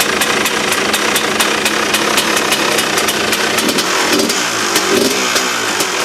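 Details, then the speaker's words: KTM two-stroke dirt bike after a new reed valve, replacing worn petals with a hole that blew fuel into the airbox bowl and air through the carb: crisp, even crackle with steady sharp firing, no misses or bogging; normal running, sounds much better. "and we'll actually have some that the engine sounded like to what it is now. Kurwa! Turn it up, man. No. Get us copyrighted, guys, innit? That, guys, sounds much better."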